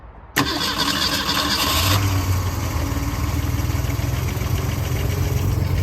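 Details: 1964 Ford Falcon station wagon, sat 46 years in a field, freed-up engine run to circulate coolant and purge air: starter catches quickly, steady even idle, no knocks or misses; sounds healthy, water pump flowing.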